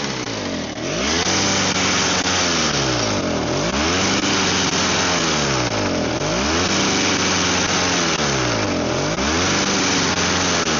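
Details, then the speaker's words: Snow blower small engine whose idle screws vibrate out of adjustment and that runs only with the primer bulb: smoky, surging, speed swelling and sagging every two to three seconds until it ran out of fuel. Owner suspects the choke was partly on. "It ran out of fuel. So, I mean, it smokes a lot, but I think the choke might have partially been on that entire time, so that might have been it."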